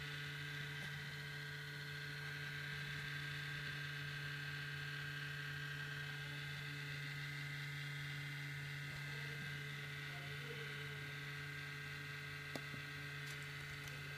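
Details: MacBook Pro sitting idle, not under processor-intensive load: steady loud low buzz with a constant hum and faint higher whine, unchanged throughout; abnormal buzzing, source unknown.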